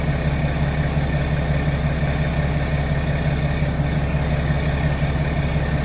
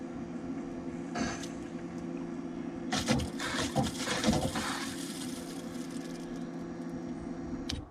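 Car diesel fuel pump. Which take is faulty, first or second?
second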